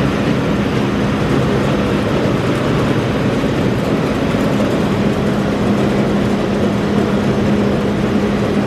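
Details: Massey Ferguson 40 combine (possibly 1996), sat 3 years, fuel and electrics refreshed; loud, steady diesel roar with constant low hum at one speed, no misses or knocks, engine shaking the machine; normal running.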